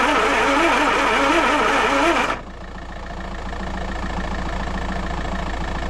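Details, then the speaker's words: Land Rover 2.25 petrol, refurbished Zenith carb, new ignition parts, starter and lift pump, choke partly on, no accelerator connected: two seconds of even cranking about four beats a second, no firing; no fuel reaching carb, lift pump suspected. "There's your answer. We're not getting fuel coming through. No fuel coming through. Back to the drawing board."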